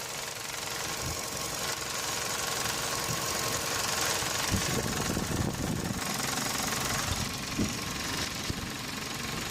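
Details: Engine running, heard through a selfie stick contacting the component, knuckle to phone mic: irregular light rattling taps over a faint hum, previously diagnosed as a loose radiator fan housing.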